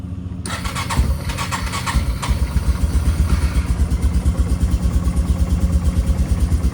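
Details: Yamaha Bear Tracker quad, cold start without choke: the engine catches at once and settles into an even, steady idle with a regular low thump; starts cleanly and sounds healthy.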